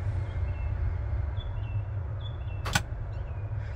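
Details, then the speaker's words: Sea Ray 370 boat with reported battery switch and bilge pump problems; battery switches found in the off position. Pushing the switch gives one sharp click over a low steady hum; actuator heard working, battery switch actuation normal. "that's off there's on so I heard them working but I'm not sure they're doing anything"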